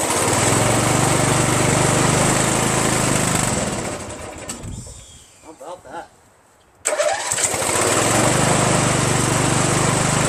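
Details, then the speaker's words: 1996 Craftsman LT1000 42 hydro lawn tractor, first start after new reproduction Nikki carburetor and starter, carb not yet adjusted: small engine runs at even, steady beat, shuts off cleanly via ignition key, restarts at once and settles smoothly; healthy. "alright well we know that the ignition key the switch works to start it right and it works to shut it off"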